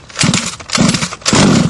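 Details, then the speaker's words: New HPI Baja small two-stroke engine cold start: primer bulb filled and choke applied, three quick pull-start bursts with sharp popping as it fires briefly on choke; normal start procedure. "We're going to pull the pull start just a couple times until we hear it fire."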